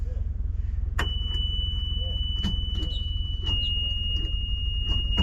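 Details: Diesel engine, starter solenoid terminals cleaned and polished, starter about three years old, glow plug not heated: scattered single clicks with a steady whine and no crank; possibly another bad solenoid, cause not confirmed.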